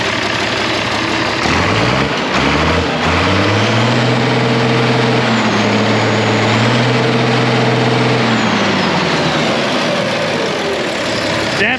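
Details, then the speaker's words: 1966 IH 1206 Wheatland diesel tractor after head gasket repair and fixing leaking diesel lines; idles, revs up and settles with even steady beat, no skipped firing; miss gone, slight blue haze remains; normal idle. "no longer has a Miss which is great still a little blue haze whatever"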